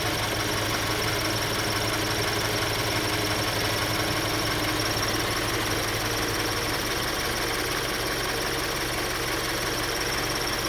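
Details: 2013 Scion FR-S, warm after ~30 miles mostly freeway, idling parked: light quick chirping tick about three a second, absent on cold start and at highway speed, present at low speeds, parked or in neutral. J02 recall done 1,400 miles earlier; owner unsure if it precedes rod knock.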